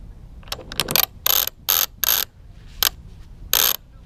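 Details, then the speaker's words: Gibb single-speed jib winch on Tanzer 22 sailboat after cleaning out old grease and regreasing/oiling: short bursts of loud, crisp, even pawl clicking as drum spins freely, no drag or grit; healthy winch. "doesn't that sound good? And it spins really nice. It's super loud, but it is done."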